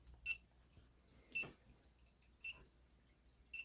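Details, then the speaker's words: Freedom Breeder reptile thermostat with two probes and heat-tape outputs: high double-tone beeps about once a second, four bursts in a quiet room; over-temperature alarm sounding after the probe reading passed the set limit. "right what you can kind of hear the beeping this is the beeping I don't know why I got all my stuff like that but it got instead of rosary and 70 degree so it started beeping to let me know like yo he seems like it hot enough"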